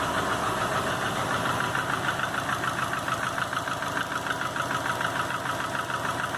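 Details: 2005 Subaru Legacy GT rebuilt (refurbished block, new crank and bearings, used rods/pistons and heads) after spun rod bearings; warm idle oil pressure 22psi, new plugs, no exhaust leaks, used VF40 turbo: regular light knock about three per second at idle, cause unknown.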